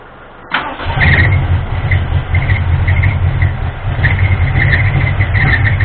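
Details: Ford 351M V8 truck with misfire and rough idle, distributor left loose and timing disturbed while troubleshooting; engine catches and settles into lumpy, uneven idle with stumbling exhaust pulse, misfire, cause not confirmed.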